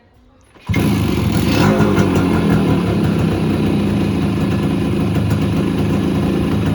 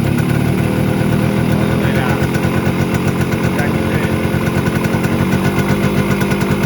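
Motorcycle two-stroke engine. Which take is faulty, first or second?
second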